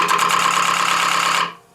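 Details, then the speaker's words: Lathe at low speed turning shop-made plywood Cole jaws: fast steady clicking over the spinning whir, stopping as the lathe halts. The clicking comes from unevenness in the plywood circles. "hear that clicking well that clicking is the unevenness of our pieces of plywood so there are circles"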